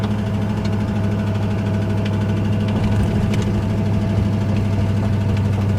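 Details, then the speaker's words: 5.0 (302) V8 in a Ford Ranger at idle: a deep, uneven knock hammering through the low end, the worst yet; sounds like a spun or worn rod bearing. "the worst I've ever heard the truck knock. I'm just trying to nurse it."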